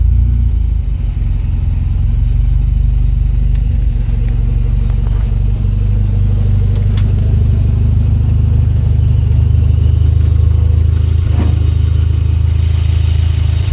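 Deep, uneven idle rumble that wavers and stumbles instead of holding a smooth beat; engine idling rough, cause unknown.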